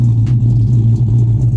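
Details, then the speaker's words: Cammed Dodge Charger R/T V8 (CompCams HRT Stage 2, E85) idling not yet fully warm: deep, rhythmic choppy lope several times a second, steady and strong. The new tune lowered idle from 850–900 to 700 rpm; a healthy cam idle. "So the car in general just sounds a lot better, and the idle is actually lower with this new tune. Before, the idle was around 850, 900, now it's 700. So you do get that chop,"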